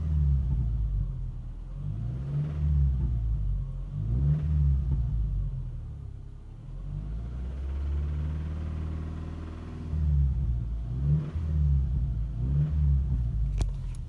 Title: Rod knock? Tensioner knock? 2009 Subaru Legacy